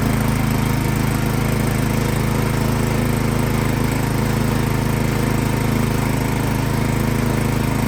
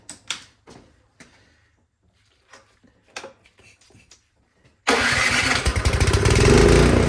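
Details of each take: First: Craftsman snowblower that started then died, after spraying carb cleaner into the main jet without removing the carburetor: runs loud and rough, hunting and surging; something still clogged in the carburetor. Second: Craftsman snowblower engine after removing and cleaning the clogged carburetor, previously starting then dying and surging: few handling clatters, fires promptly and settles into steady even run without stumbling. Normal running after repair.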